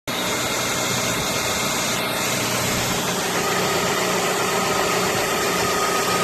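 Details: Audi A3 8P facelift 1.6 BSE engine idle test: even, steady constant hum with no stumbles, misfires or dropouts; smooth, firm, healthy idle.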